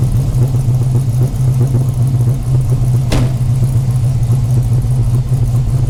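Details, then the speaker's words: 5.7L Gen III Hemi V8 in a Dodge Challenger after installing a Texas Speed high-lift cam, Holley Sniper fabricated intake, MSD ignition and new valve covers: deep, steady rumble with an even pulse, no ticking or knocking; runs smooth and healthy. "Sounds good up here too, so all is well."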